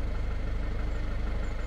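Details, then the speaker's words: Citroën van diesel at idle, door open: quick even top-end tapping over low rumble, disappears when lightly revved and smooth through rev range, then returns at idle; stop-start also not working, cause not found by dealer. "and if you wait if you wait the engine noise will start coming back and it's that that you're listening for it's back again"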